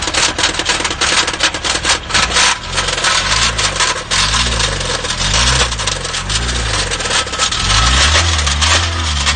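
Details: Subaru engine with a large hole broken through the top of the block, restarted at idle: loud, heavy, rhythmic metallic hammering with every turn; severe rod knock.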